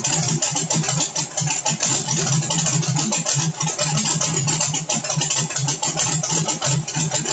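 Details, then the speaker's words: Carbureted small-block truck on pump E85, CSU blow-through carb, no choke or extra cold fueling, cold start: choppy uneven idle with busy rattly exhaust; not yet burning E85 cleanly until about 140°F. "you'll hear the motor when it gets to 140. the sound of it will physically change when that e85 starts to get into a warm cylinder and burn properly it won't sound the same"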